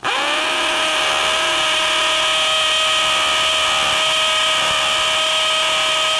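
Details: DeWALT DCD999N cordless brushless hammer drill, gear 3, hammer mode, 25 mm rotary hammer bit into 20+ cm K250 concrete: steady high motor whine with fast even hammering, no stumbling; working normally.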